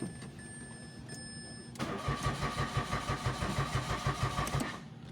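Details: Mitsubishi Mirage, push-start automatic, cranks but won't start: starter churns about three beats a second for nearly three seconds, engine never catches. No scan codes, fuel gauge indicator dead; relays and fuses OK, fuel pump suspected.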